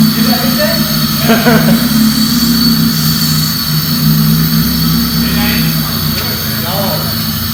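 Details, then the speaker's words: Honda Civic EG after a D16Y8 engine swap, first start: engine stumbles and hiccups all over the place as it revs, seeming fine at idle; misfire, ignition timing to be checked. "Sounds like shit, man. You know when you go out with no makeup? Yeah. But it like hiccups all over the place."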